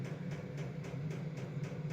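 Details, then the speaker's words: Vevor 12 V diesel heater warming a cold two-car garage: soft even dosing pump ticks about four per second over a low fan hum; pump pulsing normally, speed changes occasionally on the same setting. "I hear that pump. Yeah, that's what they're talking about. And it changes speed every once in a while. Don't ask me why. I have it on the exact same setting."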